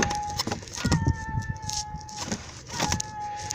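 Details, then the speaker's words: 1999-2000 Suzuki Grand Vitara 2.5L overheating, belt removed: loose, free-spinning water pump spun by hand gives a thin steady whine from bad bearings, not circulating coolant; fix expected to be new water pump and thermostat, not head gasket. "I don't know if you can hear that whining noise first of all that's a free spinning water pump that's bad second of all if you can hear it you hear it whining in there"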